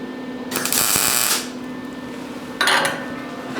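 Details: MIG welding with a Lincoln 140 while tacking a large metal sculpture; after cleaning a weld tip that had been touching and arcing, short bursts of steady even crackle with no popping between tacks.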